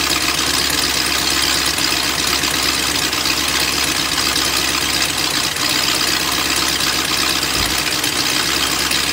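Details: BMW M62TU V8 (E39 540i/E38 740i) right after chain guide replacement: started in time, then the timing chain jumped while running; rough, harsh, uneven idle with loud raspy exhaust from missing SAI pipes.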